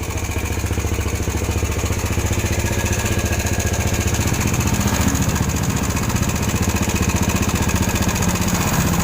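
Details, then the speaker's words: Yamaha Jupiter Z (similar to Vega, Crypton) at idle with a fast, even metallic rattle, about four per second: a loose, slack timing (cam) chain chattering against its guides. "jadi ya seperti inilah suara raneng jika sudah mengalami kendur pada motor Jupiter Jet atau yang sejenisnya seperti sekali lagi PK dan Krypton"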